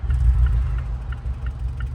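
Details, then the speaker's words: Mazda 6 2.5L non-turbo on the highway roadside in cold rain after limp mode and check-engine light; scanner shows cylinder 2 misfire, owner suspects an ignition coil; deep uneven idle stumbling about three times a second, running badly with serious misfire. "oh yeah it's running like crap it got a serious misfire"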